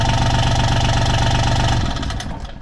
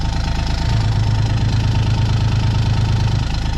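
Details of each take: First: John Deere Gator XUV 855D after adding foam to seal the clutch housing: a steady, even diesel beat with no loose rattle. The clutch rattle that used to echo up through the pipe is gone, and it runs quietly. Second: John Deere Gator XUV 855D diesel under load, parking brake on pushing on a hill, heard best at the bed: deep drone with heavy throbbing shake, about three pulses a second, also when accelerating uphill; worn motor mounts, later replaced.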